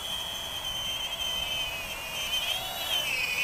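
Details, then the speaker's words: Full Speed Bat-100 1S brushless mini quadcopter with updated motors, in flight in strong wind: steady piercing high whistle wavering slightly with throttle over faint rotor hiss, resonating a bit; tiny brushless motors squealing. "with those squealing Moses it's almost like a shriek like I say I have seen that before with these super tiny brushless motors"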